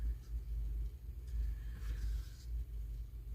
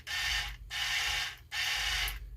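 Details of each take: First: Power Wheels ride-on toy DC drive motor bench-tested, with burnt plastic smell: quiet hum then several sharp pops and cracks under a second as power hits; popping DC motor, owner suspects melted plastic rather than the motor itself. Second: Power Wheels ride-on toy steering motor bench-tested with wires, reversing polarity: small electric motor whirs steadily through its gears in short bursts, running either direction with no grinding or catching; works normally.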